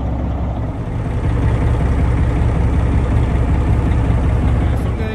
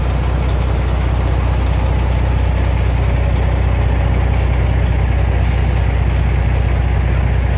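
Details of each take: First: 1987 GMC General converted RV, diesel idling after the front drive axle air brake relay was replaced. Even, steady rumble with a regular beat and no audible air leak after 3–4 minutes; air pressure builds quickly. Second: 1987 GMC General converted RV: deep steady idle with a constant airy hiss from a leaking front-axle air brake relay valve; at idle it holds only 90–94 psi, not over 100, before the relay is replaced.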